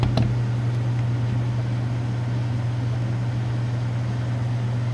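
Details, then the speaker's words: 1931 Frigidaire W-5 refrigerator condensing unit, just started after charging: low steady hum, even drone, no knocks or rattles; compressor runs quietly and healthy. "Nice and quiet."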